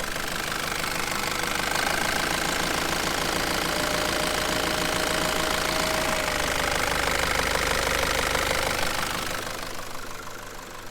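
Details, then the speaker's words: Nissan ZD30 diesel idling after belt tensioner replacement, belt deliberately wetted: steady clatter with a faint chirpy squeak, not the former squeal. Attributed to the wet belt; it may clear with belt lube or drying. "It's definitely improved. Like, that's a squeak, not a squeal. Mhm. That's wet belt. Yeah. That sound like wet belt."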